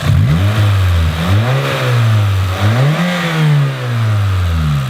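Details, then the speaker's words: Older Toyota Corolla with 141,000 miles, no work beyond a valve cover gasket: revs rise and fall smoothly with a light, even top-end tick at idle. This is ordinary age-related cam noise that does not worsen off idle. "Now, this noise is what you're going to hear in all these engines. The cams on these, as they age, they make a little bit of noise, but it's nothing out of the ordinary. This is the ordinary noise that these things make."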